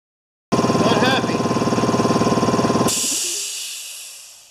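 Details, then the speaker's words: Compressor that sat unused for 8 years, after adding a pressure switch: steady pumping thump about three or four per second, then a sudden hiss and wind-down. It keeps building pressure and does not cut off; an adjustment is suspected. "that's pretty high pressure guys there we go no I'm just gonna have to get it to shut off so I think it's probably an adjustment in here"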